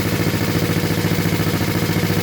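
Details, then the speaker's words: Honda CB350 twin, freshly reassembled from basket case, first start after a month, choke off: steady idle with fast regular light tick; owner suspects valves or cam chain, hopes it fades with oil pressure. "they kind of got they kind of have a pinging noise oh I turned the choke off that pinging noise I'm hearing is in the valves or the chain up there or something"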